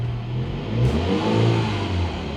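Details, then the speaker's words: 2013 MINI Countryman after misfire fix with new spark plugs and coil packs: clean, even revs and smooth idle with no stumbles; old check engine light still on; fault thought to be bad coil pack or plug. "it is running smoothly so i think that was the issue we had a bad coil pack or bad spark plug it's idling super smooth right now"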